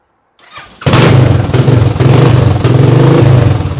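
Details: Royal Enfield non-runner motorcycle after no-spark ignition fault finding: starter churn, engine catches at once and settles into strong steady beat with throttle blips; sounds healthy, some fuel starvation suspected.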